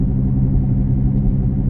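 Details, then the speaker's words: 2017 Chevy Equinox at road speed: loud, steady low growl from the rear, louder the faster it goes and unchanged after tire rotations; driver rear wheel bearing suspected. "gets louder more intense the faster you go it's a couple different things that can be but I've pretty much narrowed it down to a wheel"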